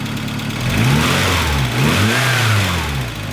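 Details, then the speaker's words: 1988 Volkswagen Scirocco 16 valve, high mileage: engine idles then revs with a light ticking that follows revs; lifters sound a little loud, suspected wear from mileage, not confirmed. "Sounds like the lifters are a little bit loud, but it does have a lot of miles on it."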